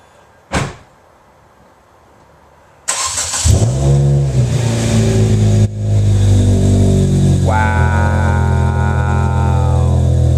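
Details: First start after fitting new headers, intake/headers/exhaust with no cats: engine cranks, catches and revs loud and raspy with a sharp exhaust bark, noticeably louder; exhaust leak.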